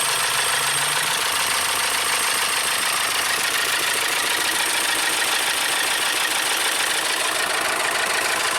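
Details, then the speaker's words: 2012 VW Tiguan GDI turbo that stalled on the highway with the low oil pressure light possibly flashing, refilled with oil and fitted with a new belt: harsh diesel-like clatter at idle over a loud hiss, with oil spraying. Internal damage suspected. "Sounds like a diesel. Wow."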